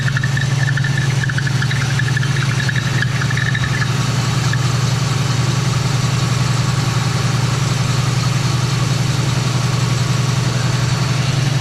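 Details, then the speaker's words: Old Oldsmobile on its own fuel tank with radiator in, cold shop, after a door was opened and it stopped choking itself out: steady low rumble at idle with an even beat, no stumbling; loose belt squeak being addressed; running pretty good. "Really? It's just not going to cooperate. But yeah, it's running pretty good."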